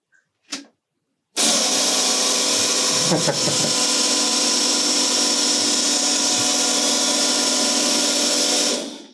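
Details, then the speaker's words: Ariel Atom replica with rebuilt fuel tank, lift and main fuel pumps running together (main pump about 4 bar): short tick, then loud steady high buzz for about eight seconds; normal operation. "and now let's listen what's the sound of both fuel pumps at the same time probably it will buzz like hell.. here's lift pump alone now the main one and now, both"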